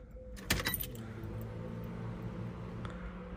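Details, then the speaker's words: 1995 Honda Civic after stock fuel pump replaced with high-performance pump, key on to prime: key click then a faint steady low hum for a few seconds; car then started without check engine light; normal fuel pump priming. "re gonna prime the end prime the fuel pump a few times and I'm gonna start the car make sure everything starts up alright guys so we got the battery connected back in and now we're gonna prime the fuel pump maybe like three or four times and then we're gonna start the car so you know I can hear the the pump turning on"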